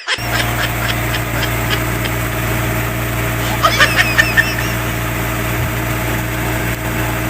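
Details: Generator set test run after replacing a bad starter motor: a steady, even diesel drone at constant speed with only a few light clicks, running normally.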